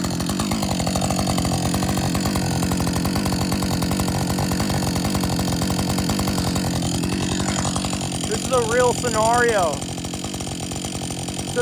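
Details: Husqvarna 562XP chainsaw, after the shop reflashed its software for dying when hot and stumbling, warm after a lunch break and refuel: steady, even two-stroke idle holding its beat without surging or dying, a brief whistle near the end; normal idle.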